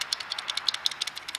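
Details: Worn rear wheel bearing removed from a 2004 Ford Fusion, spun by hand: dry, gritty clicking and rattling from rough races.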